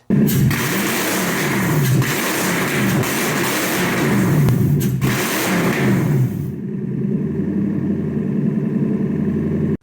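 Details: 1UZ V8 swapped into a Lexus IS300 at first start, with no coolant and an uncalibrated TPS. After a hard rev it settles to a steady, even idle, and the earlier bellhousing noise is gone, possibly a flywheel/starter clearance issue.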